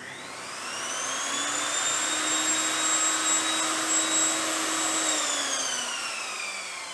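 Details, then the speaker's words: Evolution Rage 5-S table saw motor after installing a soft start module: whine climbs smoothly to full speed over about two seconds with no sudden kick, then winds down evenly; soft start working, no harsh start noise. "and there you go guys it works absolutely fantastic none of that scary start it all eases in as it should do no scary sounds or noises beautiful works so much better"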